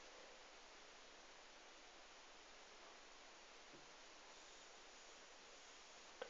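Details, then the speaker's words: ZVS-driven flyback with capacitor attached, power limited to 55 watts: steady soft hiss across the upper range with no rhythm; corona discharge leaking off the high-voltage wire. "Hear the hissing on that wire."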